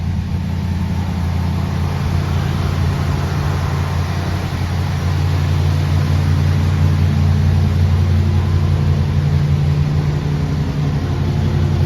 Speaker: It's kind of on the fast idle circuit, I think, right now.